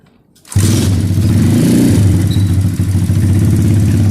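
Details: SSR 110cc full-manual pit bike after valve adjustment (missing adjuster locknut, excess lash fixed): starts at once, fast but even high idle from sticky wrong throttle cable, no top-end tapping or clatter; valvetrain quiet and healthy.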